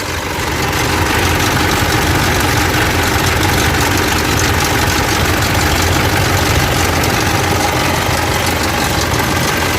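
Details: Mitsubishi Pajero Dakar/L200 Triton 3.2 diesel idling with busy metallic rattle from the front of the engine: worn timing chain, recorded before replacing the timing chain kit.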